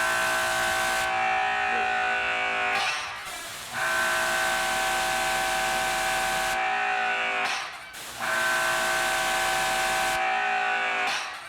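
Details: DeWalt electric pressure washer rated 2400 psi and 1.1 gpm, running the turbo nozzle at about 850 psi; steady motor hum under loud spray hiss, stopping briefly twice on trigger release; runs healthy; normal running.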